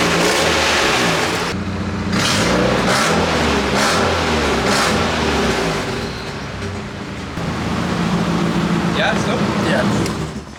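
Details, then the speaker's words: Nissan 240SX KA24DE after suspected blown motor, misfire and electrical fire, tested for bottom-end health: climbs and falls through a few revs cleanly, no knock or tapping; bottom end sounds fine, likely only gasket issues, piston rings still possible given smoke. "yeah bro the car sounds fine I'm not worried it's the bottom end anymore it can't be yeah it might just be gasket issues and stuff"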